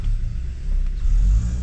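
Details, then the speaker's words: Hyundai Santa Fe turbo, code-free after repairing boost/MAP-related codes P2565, P2564, P2562: deep, even idle with no misses or surges. Owner says the tick heard is the high-pressure fuel pump, normal on these engines. "Her idle is nice. I just want to see how she's running."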